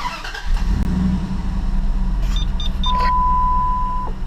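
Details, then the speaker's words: 2006 Dodge Dakota 4.7L V8 after new spark plugs and reconnecting a forgotten IAT sensor, codes cleared, engine a little cold: quick crank, catches at once, settles to an even steady idle with a dash chime. Normal start and idle. "oh she's running nice and smoothly revs up real nice"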